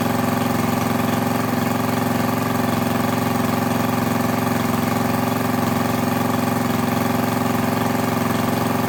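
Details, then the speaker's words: Craftsman lawn edger with a 140cc engine, reassembled after cleaning dirt from the carburetor and intake: steady, even putter at low idle with no misses, surges or knocks; owner unsure whether it should run faster. "I might have to do a little bit of digging see if it's supposed to run at a higher speed than that or not but I'm gonna assume no"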